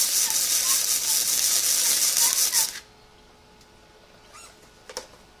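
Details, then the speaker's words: ESAB Fabricator 141i DC flux-core welder, first weld, compared with the Harbor Freight Flux 125 AC: steady, even crackling sizzle for almost three seconds with no popping, then stops; arc runs much smoother. "as you hear that runs a lot smoother"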